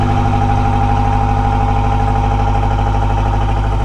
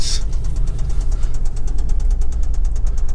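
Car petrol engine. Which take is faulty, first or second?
second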